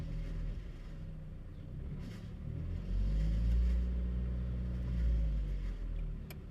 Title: Chevy Cruze Engine noise when starting and giving throttle?